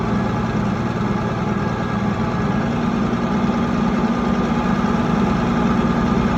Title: Mitsubishi 6m60 Misfire Engine and Shaking@CranesEtcTV